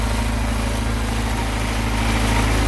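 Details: Houseboat Volvo Penta 130 inboard running after tune-up, fuel tank refit with fresh fuel and Sea Foam, first-bought distributor cap reinstalled after the other wouldn't fire; some O-rings still need replacing: steady, even low drone, no misfire; normal running.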